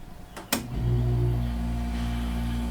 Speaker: We hear the compressor, but no fan.